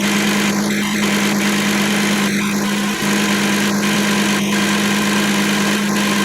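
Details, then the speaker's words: 2007 Kia Sedona 3.8 L after AC compressor replacement (old clutch windings shorted), AC on lowest setting during recharge on low side: steady low hum over even idle, light stray clicks, clutch turning, no grinding; normal AC compressor operation. "The AC is running. Clutch is turning."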